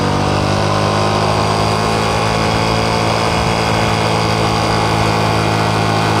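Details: Honda Supra X 125 Karisma in 2nd gear at full throttle uphill, only 60–70 km/h: high, steady engine drone without pulling harder, loud but slow. Slipping clutch suspected, attributed to the clutch housing (mangkok ganda).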